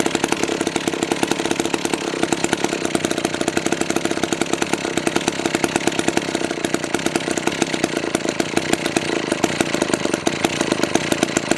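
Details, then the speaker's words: McCulloch 1-42 two-stroke chainsaw, restoration project, running after reassembly before cutting: fast, crisp, evenly spaced firing with a bright buzzy tone holding steady; sounds pretty good, running clean and healthy. "that sounds pretty good think I'm gonna have to try and cut along"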